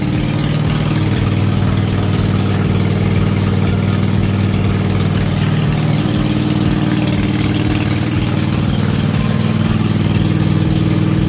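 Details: Cub Cadet RZT-50 zero-turn mower, revived after years unused, crankshaft seal replaced and freeze-damaged carburetor swapped for an aftermarket one: steady, even idle with a smooth low drone and no knocks or misses; normal idle.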